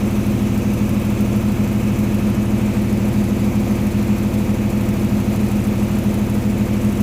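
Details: Water-damaged diesel engine rebuilt single-handedly and started after reassembly: steady, even diesel clatter at a settled idle with a smooth firing rhythm and no knocks or misses, running properly.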